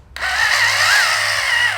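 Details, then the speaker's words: 1/8-scale electric buggy on 4S after ESC calibration and binding a Futaba 7PXR transmitter: loud, aggressive high brushless-motor whine swells and eases with throttle, clean and even; normal response. "we definitely have throttle there quite loud and very aggressive being eight scale on 4s"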